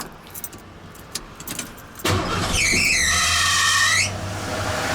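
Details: Junkyard bullnose Ford truck swapped from EFI to carburetor, starting with choke: engine fires and a loud high squeal rises and wavers about two seconds then cuts out; owner says the alternator belt is clapped out, 3G alternator loads it at startup; suspected slipping belt.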